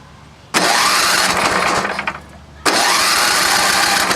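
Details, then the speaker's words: Vintage snowblower small engine: catches with loud roar, sags and stumbles after a second and a half, then refires; carburetor bowl held half gas, half water, drained. "The water will go to the bottom of the bowl, so the engine will be sucking up water. So I drained that out. It seemed like it was half gas, half water, but the water's at the bottom, so we'll try again."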